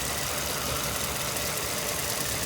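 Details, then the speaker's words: 2011 Ford Crown Victoria Police Interceptor, 4.6L V8, 53,000 miles, 6,135 engine hours, sat two years after collision, with bad fuel pump: loud, steady, even idle with no surges or knocks; engine sounds healthy. "Engine sounds good. Just ran out of lemonade. It um it sounds good."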